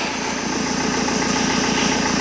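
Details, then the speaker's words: BMW E46 320d Touring diesel idling after start: smooth, even rhythm, no knocks or rattles; the earlier high-pitched pre-supply pump whine is gone and the in-tank pump is silent. Engine sounds sweet. Normal diesel idle. "The in-tank pump. Yeah, silent. Engines idling, perfect. Engine sounds sweet."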